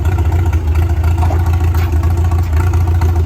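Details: 1962 Ford F600 barn find sat 30 years, magneto ignition with impulse coupler: deep, steady throb that revs up and drops back quickly without misses or knocks; normal running.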